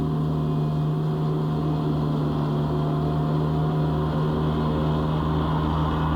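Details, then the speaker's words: Gianni Ferrari mower mulching with deck clogged after picking up palm fronds and grass: steady heavily loaded drone with low pulsing throb, revs drop and do not recover, nothing going up the chute; engine bogging. "You'll hear the revs drop down a bit as it's full on mulching now."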